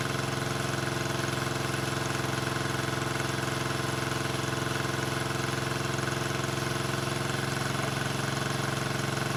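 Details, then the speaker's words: 1974 Honda CB350F four after 20+ years sitting, after the No. 3 carb blockage work, fast idling around 1200 rpm: lumpy, uneven idle with a thin exhaust note. Only cylinders 2 and 4 fire; the owner suspects a fuel problem, unconfirmed. "I'm only running on cylinders four and two and one and three are not firing which means it should be a fuel thing"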